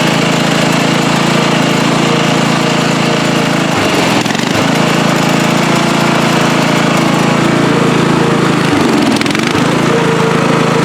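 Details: Free riding mower, tank previously drained, running after flood-prone start attempts with fuel clamped off to stop flooding: steady engine drone with two brief speed dips that recover at once; runs evenly.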